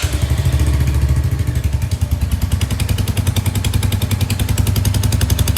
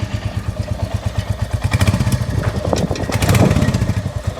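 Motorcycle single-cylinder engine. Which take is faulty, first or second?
first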